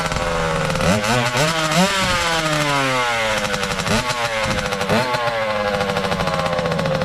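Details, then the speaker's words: 2003 Kawasaki KX60 two-stroke, first run in possibly a long time: raspy quick rev blips, runs only with choke on and dies as soon as choke is turned off; mixture fault, cause not yet found. "See, as soon as I turn the choke off, it dies."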